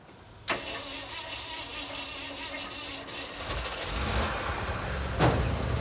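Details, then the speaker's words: 1967 Ford F-series truck (model partly named) with the fuel pump running: long cranking with only a few scattered firings before it catches and stumbles into a rough, uneven run; hard starting that needed starting fluid. "I heard one thing fire we need starting fluid Steve's making me do starting fluid"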